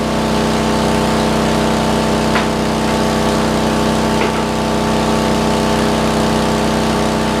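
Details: Roughly 40-year-old (1977 or 78) Lincoln Weldanpower 150 genset welder welding at 120 amps: steady, even drone with no hunting or misses; engine sounds healthy under welding load.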